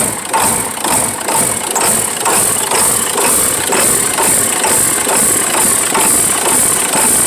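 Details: 1996 Ford F-350 7.3L Powerstroke diesel with new cam sensor: idle pulses rhythmically about twice a second, surging; owner suspects injector O-rings one side, oil from exhaust pipe, no blow-by.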